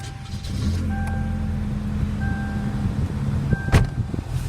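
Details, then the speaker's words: 1994 Toyota Corolla engine cold start, not started at all that day; fires on the first try and settles into a smooth, even idle with steady low hum, no knocks or misses, normal cold start and idle. "I got your request here to send you an engine cold start on our 94 Toyota Corolla. So I'm about to start it up right now for you. This has not been started at all today."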